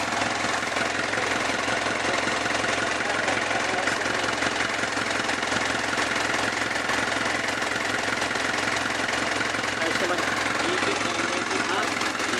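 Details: Kia Bongo diesel idling with a steady, even clatter, no misses or knocks, after its starter motor was cleaned and the battery relay feeding the solenoid was bypassed with a direct wire; healthy idle.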